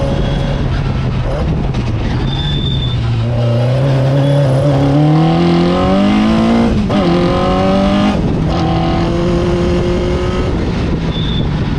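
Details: Fisher Spyder with Arden 8-port alloy head after repair: block and head TIG welded and scraped flat, new MLS gasket replacing failed composite; strong, clean note climbing smoothly through revs, crisp pickup, no misses or knocks; ran perfectly at Forrestburn Hillclimb.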